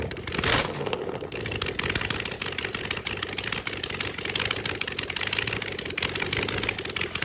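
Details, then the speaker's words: Rebuilt Chevy small block 350 after successful cam break-in, valve cover leaks fixed: fast even open-pipe idle showing the cam, no misses; timing a little off but good enough to run. "I'm going to run it really quick and let it idle so you can hear the the cam. Um, timing is a little off, but it's not it's good enough that it'll run."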